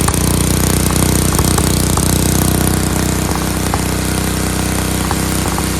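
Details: Dayton lawn tractor's 11 hp Briggs single-cylinder, started on its own with choke, runs hard and even with a crisp rapid beat, idling a little fast with a spring disconnected; healthy, sounds like a hot rod.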